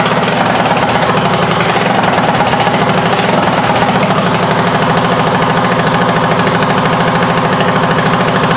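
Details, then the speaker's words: 1979 Honda XL500S on its first start, with a sticky carb float and a bad float needle: loud, rapid, ragged chuffing and popping at about three beats a second, from a massive exhaust leak near the head wrapped with a piece of leather glove. "And if it sounded like it had a massive exhaust leak, that's because it had a massive exhaust leak with a piece of leather glove wrapped around it."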